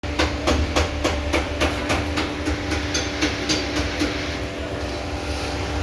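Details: 2016 Audi A4 steering: even clicking about three to four times a second as the wheel is turned, from the steering shaft universal joint (steering cross); the fix is spraying WD-40 onto the joint.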